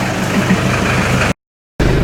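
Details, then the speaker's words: 1986 Ford Escort diesel after fuel system repairs for stalling, run a while in cold weather with temp gauge now normal; steady even clatter, no stumbling or hunting, brief cut in the sound: normal warm idle. "right she's been running a while"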